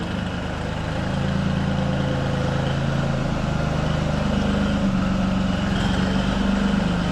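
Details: Farm tractor after its hard-starting problem was fixed by cleaning dirty battery cable connections: a deep, steady idle with an even low beat, no misses or knocks, and a settled speed throughout. It is idling normally.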